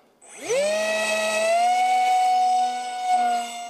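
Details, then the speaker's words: DYS BE2208/7 2600Kv brushless motor with Master Airscrew 6x4x3 prop on a NAMC Mig-35B, 40A ESC, 2200 3-cell battery, in flight: a sharp whine climbs fast, then holds a clean steady high pitch, sounding almost like an EDF. Normal full-throttle run. "right away you can hear the difference it almost sounds like you know compared to a 6x4 EPC prop or 6x3 it sounds more almost more like an EDF"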